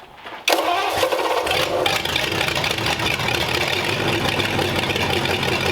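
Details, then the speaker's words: Old engine after a good compression test, first start: short crank, then fires cleanly and holds steady even running with 35 lb oil pressure, no knocks or misses; sounds healthy. "there we go it runs 35 lbs of oil pressure sounds good"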